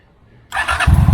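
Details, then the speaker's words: 2003 Honda Shadow 750 V-twin after replacing blown main fuse (no power despite new battery, new negative cable). Short starter whir, catches at once into a deep, even thumping idle; clean, healthy start. "fire is right up so excited to say that I fixed my motorcycle by myself for the very first time"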